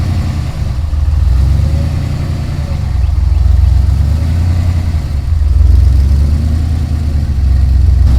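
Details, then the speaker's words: Ford Ranger rock crawler "The Mutt" first start after build, new Magnaflow exhaust with dump: deep, steady exhaust rumble rising and falling smoothly with light revs, no knocks or misses; runs and sounds good. "everything else is hooked up but uh very happy it's uh fires right up runs good sounds good"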